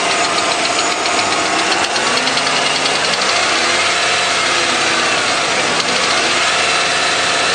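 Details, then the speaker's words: Truck with 197,000 miles, cold start: steady cold idle with a sharp, even tapping like a small ball-peen hammer on the intake or valve cover top; owner says the ticking doesn't change cold or warm, source undetermined. "it's kind of like if you had a small ball-peen hammer and you're kind of hitting it on the top of the intake is kind of the sound it makes or the top of the valve cover"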